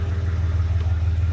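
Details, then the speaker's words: 1985 Chevy Camaro IROC, warm, idling at about 700-800 rpm with a deep, even rumble and no misses or stumbles; smooth idle, though it won't run right at startup unless given throttle. "Sounds like it's running pretty smooth. Doesn't feel shaky."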